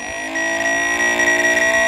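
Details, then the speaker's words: Wiper motor from a 2nd-gen Cummins truck, off the vehicle and powered directly via the two outside spades: steady constant-pitch hum, no grinding or stalling; good motor, normal run. "just like i thought you should be able to hook that up to the outside and make that motor run so we know that this is a good wiper motor"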